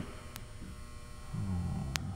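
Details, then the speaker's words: Low rough hum swelling amid bench clatter after powering on a barn-found frequency counter; buzzing, power supply doesn't sound healthy, caps suspected, likely transformer, not proven. "weird noises yeah I hear buzzing yeah does it sound like a healthy power supply doesn't know"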